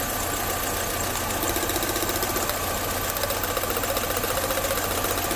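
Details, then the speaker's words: 2005 MINI Cooper after diagnosing a misfiring cylinder by unplugging injectors, injector reconnected: even, steady idle pulse about three to four beats a second with no stumble or missing beat, running on all four cylinders; normal idle. "Now you're running on all 4s, so well, I know this injector is working."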